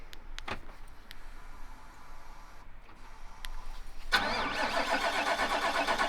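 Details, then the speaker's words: GMC Sierra AT4, back from the dealer after a misfire issue, cold start at about -20 to -28°C: several seconds of cranking with a slight hesitation, catches near four seconds and settles into a steady fast cold idle; hesitation blamed on severe cold. "again seems okay I think the hesitation is just severe cold weather"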